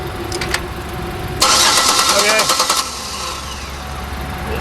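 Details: 2008 Buick Lucerne, GM 3.8 V6, towed in with crank-no-start, after battery terminal work: starter spins briskly about 1.5 seconds with no firing; no start, traced to blown ignition fuse from cracked coil.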